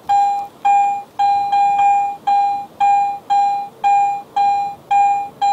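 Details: Garrett AT Pro International metal detector in standard zero mode with minimal discrimination: repeated clear high beeps, about two a second, clean steady tone as the coil sweeps over the larger silver coin; normal high tone.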